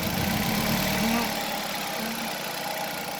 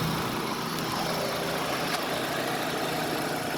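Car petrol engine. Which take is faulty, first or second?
first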